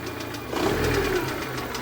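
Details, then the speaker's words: VAZ 2112 after injector seal and screen replacement for an air leak and fitting a new mass air flow sensor, warmed up: short steady idle with an even, smooth beat, no misfire or stumble; idle now holds without failures, normal. "what I can say about its work with the new MAF is yes There is a difference in its operation, namely the idle speed is kept as it should without any failures"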